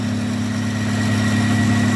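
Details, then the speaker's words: 1995 Nissan pickup 3.0L V6 with Flowmaster 40 2.5-inch cat-back exhaust, previously cutting out when warm: smooth, even low idle hum, no misses, stumbles or knocks; normal idle. "isn't that custom exhaust sounds pretty awesome six cylinders Bremen flowmaster 40 two and a half inch all the way from the cat back running good finally"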